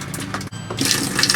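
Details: Samsung WA50R5400AV top-load washer with the Active Waterjet switched on: water pours in a steady, full stream with no sputter or hiss. Flow is normal when on; the fault is a drizzle when it is turned off.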